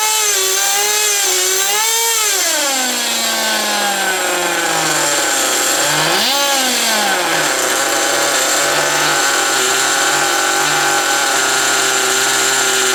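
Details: Original first-generation HPI Nitro Rush nitro RC car started after many years sitting, run about five minutes to burn off old fuel left in the tank: high-pitched buzzy engine revs up and down, then settles to a steady even note; running clean. Exhaust leaks noted.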